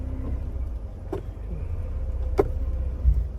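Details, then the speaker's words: Mercedes 190E (W201) started after long storage, idling with a low steady rumble and two sharp clicks when put into gear; owner suspects old rubber prop shaft couplings (donuts) between transmission, prop shaft and differential. "And uh uh and also I need to change the the coup couplings couplings whatever they call the prop shaft those uh rubber donut things that connect to the transmission to the prop shaft and then to the differential because you can hear it"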